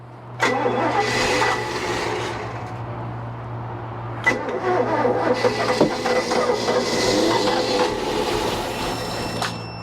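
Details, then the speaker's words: 1988 Bayliner Avanti 3250, 260 HP 5.7 L Chevy 350 with OMC Cobra outdrive, sat 6+ years, throttle opened by hand: repeated cranking bursts that catch briefly and stumble without settling; too much fuel added, the engine is flooded. "i put too much in it i can see fuel yeah i put too much in there it's choking up"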